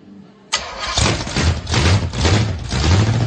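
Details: Oldsmobile 455 V8 first start after being resurrected: brief crank, then it fires and catches cleanly into a steady, deep rumbling idle with no knocks; normal, healthy start and idle.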